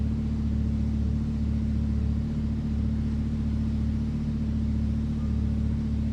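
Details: Lamborghini Huracan V10, wrecked-rear rebuild, first start after swapping engine control units, run briefly with no coolant to check leaks: deep, steady, even low rumble at idle, no knocks or misses; normal idle.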